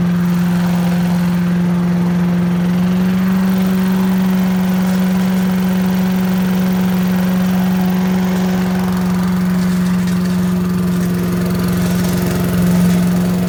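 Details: 1980s Billy Goat vacuum single-cylinder engine running after turpentine-smelling fuel drained and fresh gas added, spark weak; steady, even drone at constant speed over ten seconds, no misses or surging; needs extra pulls, owner suspects low compression; normal running.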